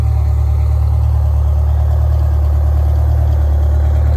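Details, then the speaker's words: GM Scenicruiser bus, Detroit Diesel 8V71 two-stroke, cold start the next morning after sitting overnight: fired right up into a deep, steady idle, an even low drone with no knocks or misses; healthy. "she just fired up the suspension stayed up all night long this left side came down a tiny tiny bit just fired right up popped right"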